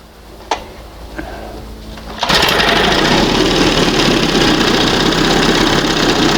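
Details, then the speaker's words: 1971 Johnson 20 hp outboard after swapping to smaller high-speed jet matching 25 carb and readjusting: a couple of faint clicks, then revs to steady high buzzing with no stumbling or surging; normal high-speed running. "Sounds good. That's what fast should sound like."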